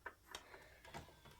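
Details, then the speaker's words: Xbox One S disc drive with a dirty Xbox 360 Burnout Paradise disc; scattered light ticks and short whirs as the drive keeps retrying; disc drive clicking on a dirty disc. "somewhere there, it's got some dirt on it. So, now, if I insert it into the Xbox, it makes these sounds."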